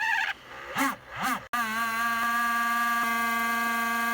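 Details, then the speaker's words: MacBook Pro 15 Late 2013, left cooling fan making a steady, loud whirring hum with a constant whine before repair; cleaning didn't help, so the owner sprayed WD-40 (LM-40) inside the fan. "today i will show you how to fix fan of macbook when have extreme big problem with loud sound"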